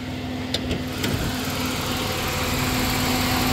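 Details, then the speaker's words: 1990 Dodge Grand Caravan LE warmed up after cooling system repair, idling: steady whooshing hum with constant low drone as the radiator fans kick on; normal radiator fan operation. "fact I think the fans are on now like I hear it yep hear it kicked on"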